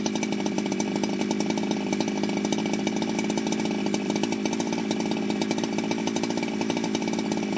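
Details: Ported Jonsered 2071 chainsaw after rework; it had run poorly, like an air leak with a hot case, but no air leaks were found. Crisp, rapid two-stroke buzz holding a steady, even speed without stumbling: normal running.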